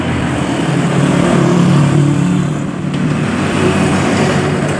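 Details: Honda Beat scooter after CVT service and replacement of the damaged CVT bearing: engine runs with a steady low hum, no grinding or rattling from the belt drive; normal CVT running.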